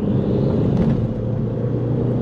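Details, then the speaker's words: Audi TT Mk1 turbo, after replacing the N75 boost valve to cure breakup under load; pulling in third gear at about 5 PSI; smooth even drone, no misfire; normal boost. "Fourth gear, about 7 or 8 PSI. So it's behaving dramatically different. If we really get on it, it's about 11 PSI in fourth gear."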